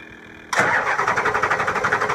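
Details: 7.3 Powerstroke diesel after new injector O-rings, hard to start because the heads must re-pressurize. After long cranking it suddenly catches and settles into a rough, pulsing run.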